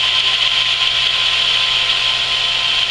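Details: Camp water pump after winter sitting, just primed with hose fully filled; steady high-pitched motor hum with hiss, no knocking or surging while pressure climbs from about 15 toward 50, cut-out expected 40–50; normal running.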